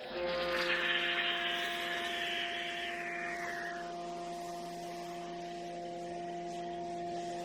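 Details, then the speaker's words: Giraffe Tools Grandfalls Pro pressure washer running with foam cannon: sharp screaming whistle sweeping down in pitch, then a steady shrill tone over the pump hum; pressure relief valve whistle, later fixed by the maker. "now the pressure relief on that thing sounds like a firework you know the ones that scream and whistle into the sky it's a little Annoying"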